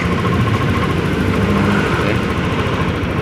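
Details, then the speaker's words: Yamaha Lexi scooter that suddenly would not start, after fixing a burnt, melted ECU socket likely shorted by water: small engine idles with a steady, even putter, no knocks or misses, keeps running smoothly. "Kita coba. Ah, hidup. Oke, hidup ya. Oke, hidup ya. Ternyata. Suaranya ya terdengar ya, dan lihat bunyi ya, muter ya."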